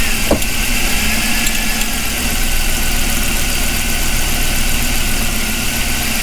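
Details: 2006 Lincoln Town Car, Ford 4.6L V8, first start after intake manifold and fuel filter replacement, codes cleared: steady deep V8 rumble at idle with even beat, no knocks or misses; idles smoothly.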